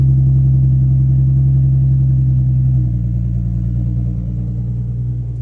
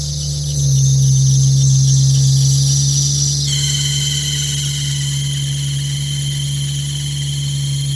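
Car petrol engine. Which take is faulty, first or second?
second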